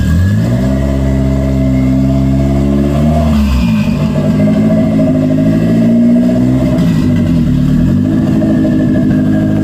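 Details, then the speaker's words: 1992 Toyota MR2 after throttle cable and idle fix: steady idle, revs up cleanly and settles without hesitation, responsive throttle; normal idle and revving after repair. "it works um I really I really can't say anything bad it feels good uh the throttle is pretty responsive as I as I give it a go"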